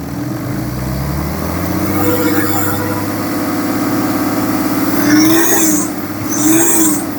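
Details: 2011 BMW F11 530xd, N57 diesel at 367,000 km: dull, steady knock over the engine noise at idle, speeding up when revved; rod knock from a worn rod bearing.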